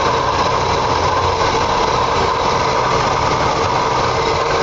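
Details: Oldsmobile 350 V8 with all belts attached: loud steady idle with a constant high-pitched buzzing whir over the engine note; odd accessory-area noise, cause not pinned down.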